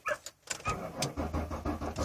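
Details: 2000 Ford Windstar on a fully charged battery: starter cranks the engine evenly but it never fires; theft light flashes six times slowly, owner suspects anti-theft system, cause not confirmed.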